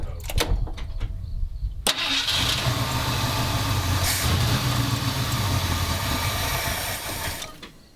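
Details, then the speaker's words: 1977 Ford F250 351M V8, Duraspark II, carb mixture screws 2 turns out: cranks, ragged fast idle about five seconds, then dies; owner suspects clogged carburetor idle circuit or needing more choke. "I know it don't want to idle. So, we got it at 2 turns out, which is weird."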